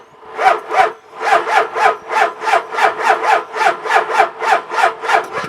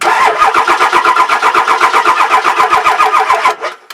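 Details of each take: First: Truck with very weak batteries (10.7 V after the lights were left on), NOCO jump pack connected, cranks slowly and laboriously at about three compression pulses a second and never catches. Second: Diesel cranked on a new NOCO GBX155 jump pack without letting the glow plugs run, so it never fires. Brisk, even cranking at about four beats a second, then stops. The starter spins the engine over strongly and faster than with the old GB150.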